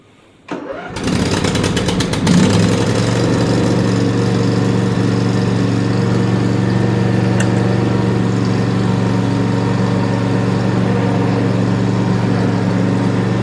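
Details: Snapper 150Z 26H zero-turn mower, sat all winter, new battery fitted during tune-up, choke on: starter churns briefly, twin catches cleanly and settles into steady even idle, no misses or knocks. Normal start and idle.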